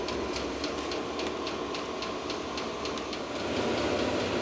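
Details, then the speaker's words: VEVOR diesel heater, first run in a workshop, exhaust warming as it starts heating: steady blower rush with the small fuel pump ticking evenly about three and a half times per second; running normally, noise not bad. "all right so this thing it is making a little bit of noise and honestly I was expecting that after all it does have to move some air so there's going to be quite a lot of blower noise and also you can hear that little fuel pump ticking away but honestly it's not that bad"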